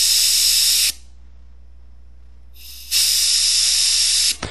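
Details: Metcal desoldering gun with STDC 804 tip removing plated through-hole flat leads of a 16-pin DIP: two sharp, even hissing bursts of suction with quiet between them; the gun is pulling vacuum normally.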